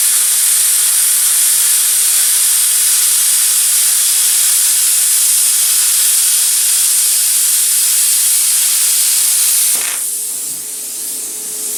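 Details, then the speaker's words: Cheap eBay plasma cutter with compressor on at steady 70 psi input pressure; strong steady high hiss for about ten seconds then clean cutoff, a stable cut much better than on low air. "much better much much much more better yep yep when it has a steady 70 psi works way better"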